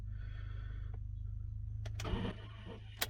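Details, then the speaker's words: Vehicle with two batteries under the seat (believed replaced), cold: key turned gives only a faint click and low hum, no crank, then another dead click; takes about three tries, battery or wiring doubted as cause, seems better warm. "So it takes 3 times to start this, so I turn the key, listen to what it does."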